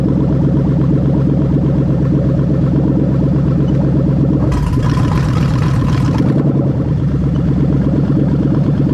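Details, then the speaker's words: Toyota/Lexus LS430 (2000–03) 3UZ-FE VVT-i V8 with a newly built harness for a manual-gearbox, left-hand-drive setup, test-started: a smooth, even idle with a steady low rumble and a brief hiss mid-clip, no knocks or misses; healthy, with no codes. "but yeah so i'm happy with everything everything's working as it should"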